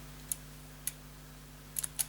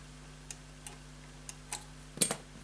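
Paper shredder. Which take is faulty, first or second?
first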